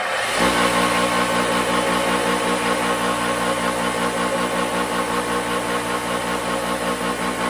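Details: Replacement bench grinder after the old one went up in smoke, just switched on: steady, even motor hum, no wobble, rattle or scraping over the run; healthy normal running.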